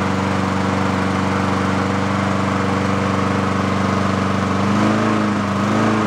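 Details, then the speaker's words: Yard-sale Honda mower at full throttle with choke, warming up after carburettor cleaning; high speed holds steady, then pitch hunts up and down near the end; surging, owner suspects a clogged idle circuit or needs air-fuel mix adjustment. "we'll see if we can get rid of some of that uh oscillation but either that or that idle circuit is clogged and it's doing exactly what I just said as earlier with uh that getting that surging in there and that circuit is just not doing what it should"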